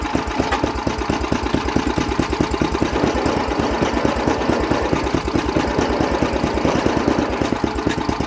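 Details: MTD snowblower single-cylinder engine at low throttle, bottom cover off with the belts running. Even, steady low puttering beat with no misses or knocks: normal idle.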